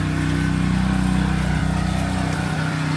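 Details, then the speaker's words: Newly bought pressure washer (the old one dug out is dead), small engine running: steady even drone at constant speed with no misses or knocks, running normally. "Okay, long story short, got the uh pressure washer out. You hear it running?"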